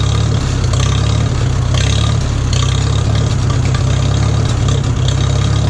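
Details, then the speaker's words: 1941 Farmall H tractor running without choke after a surging problem: loud, steady low thrum that picks up cleanly when the throttle opens, no hunting or surging; smooth throttle response, much better now though it may still need fine tuning. "It might still need some fine tuning here, but it runs a lot better now."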